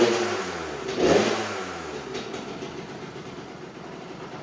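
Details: 2000 Kawasaki KX65 two-stroke after rebuild, new throttle cable and assembly, choke on; catches, blips with a little throttle, then settles into a buzzy, fairly even idle. Normal running.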